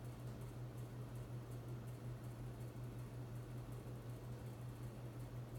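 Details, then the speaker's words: Hunter Infiniti 52-inch bright brass ceiling fan in a living room, hum on each speed: constant deep electrical drone from the fan motor over soft air noise; owner plans to reinstall with rubber grommets on the mounting plate to reduce it. "But I am gonna have to take down this fan again just to reinstall it because the fan does have quite a bit of a hum to it on each speed."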